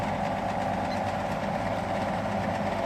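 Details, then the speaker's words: Old fan with GE motor, rated 2.7 amps and drawing 2.51: constant hum with rough gritty rattle and strong midrange drone; suspected blown motor bearing. "it sounds like this has a blown bearing the tag on the thing says 2.7 amps and running 2.51"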